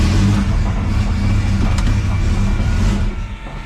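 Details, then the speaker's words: Camaro V8 at idle: lumpy, heavy idle with a loose, uneven low-end rattle from torque converter bolts that come loose after two or three events despite tightening; owner unsure whether harmonics cause it. "you can hear it rattling really bad right now because the uh after like two or three events the converter bolts will start to get loose no matter what"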